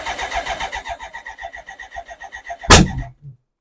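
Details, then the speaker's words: BMW K100 project after fuel filter replacement: even cranking about five compressions a second, almost starts, then one sharp bang; owner suspects unburnt fuel getting through, possible spark problem; cranking no-start with backfire. "excited and that's the bang doesn't do that very often which means a lot of unburnt fuel I think is getting [Laughter] through"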